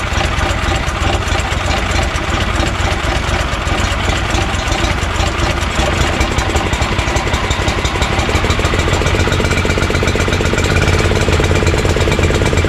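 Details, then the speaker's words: Honda GX340 single-cylinder in EZGO Workhorse golf cart repower, after verifying key start and kill switch shutoff: settled, steady low thumping idle with no misses or stumbles. Normal idle. "there we go guys we know the engine starts with the key and you can shut it off with the switch and it idles pretty well"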